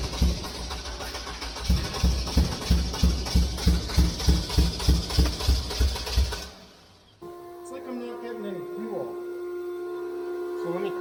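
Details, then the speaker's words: VW Beetle just fitted with new injectors, fuel pump primed, cranks steadily about three turns a second but never fires. Raw fuel smell and fuel heard flowing point to flooding from a stuck-open new injector. "I can smell raw fuel though so it's like it's getting fuel but it's not burning it I don't know definitely fuel there yeah I can feel fuel coming through the I can hear fuel flowing"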